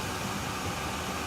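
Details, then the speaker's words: Chinese all-in-one diesel parking heater in shuttle bus RV conversion, turned up through 9 to maximum setting 10, very hot: steady even rushing roar, somewhat noisy, no knocks or surging; normal running at maximum. "And let's put up on 9. And 10. And there it is. It's kind of noisy on 10, I think."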